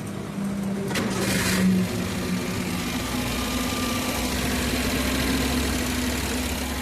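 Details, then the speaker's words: Maruti Eeco after fix of overvoltage ECM signal wire that was overheating and blowing ignition coils (ECM change); no DTC, CNG disconnected: brief crank catches on first attempt, settles to smooth even idle without jerking; normal start and idle. "चालू झालेली आहे. गाडीचं firing पण एकदम smooth झालेली आहे. गाडी jerking वगैरे काय नाही, एकदम प्रॉपर गाडी चालू झालेली आहे एक पहिल्या सेलमध्ये."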